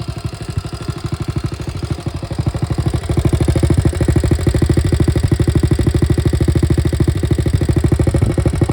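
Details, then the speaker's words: 1961 Honda 50 Super Cub, 50cc single rebuilt from a crated engine, run via hot-wired switch, no battery, electrics unfinished: even clean putter picking up slightly then holding steady, no knocks or misses; normal idle. "i want to just let it run and let you hear it so you can see that it's back in the land of the living and sounds pretty good"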